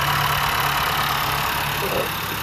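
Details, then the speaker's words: 2015-2020 Honda Fit at 92k miles after new OEM NGK iridium spark plugs and coils: smooth steady idle with light even clicking underneath, no misses or stumbles; engine sounds normal. "Alright, so started the car back up and the engine sounds the way it's supposed to sound, with a little clicking sound,"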